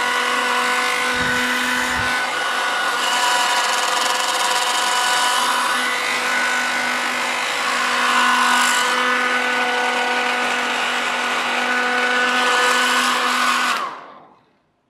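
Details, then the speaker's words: VISIQ HD-051-A 1200W hair dryer with DC motor: steady motor whir with fan rush and faint rattle, running but sounding weak and strained, winding down when switched off. "although that sounded a bit sad it didn't sound quite as sad as it has been when we've been trying to dry our hair with it it's got a bit of a rattle to it as well"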